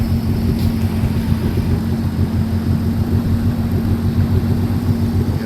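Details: RXT personal watercraft on first water test after rebuild, cruising forward: steady even low drone, constant hum, no knocks or misses; engine running normally, though a little smoke from the back (owner unsure if normal) and water seeping in, suspected from the steering cable.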